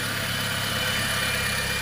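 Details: Engine after repair: even, steady idle with no clicking or stumbling, a smooth note; earlier hard starting, unstable idle and a ka-ka-ka noise cleared after a component was tapped with a wrench.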